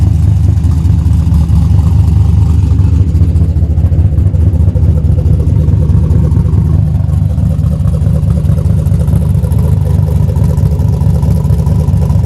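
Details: Junkyard-rescued old Buick Skylark V8 started after reconnecting the battery, possibly low on gas: deep, steady low rumble with even beat, no knocks or misses; healthy running engine.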